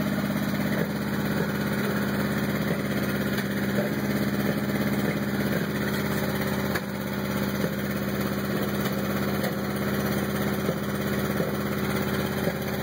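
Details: 1986 Honda CRX at idle: uneven beat with irregular stumbles, roughly three pulses a second that don't stay even; rough idle.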